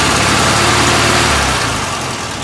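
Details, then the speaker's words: 1967 VW Karmann Ghia air-cooled engine, abandoned 45 years: rough idle holds a second or so, then sags and dies because the fuel pump is dead. Stalling from fuel starvation. "so um nothing coming to the pump the pump is dead all right something's going on at the pump that's why it won't stay running"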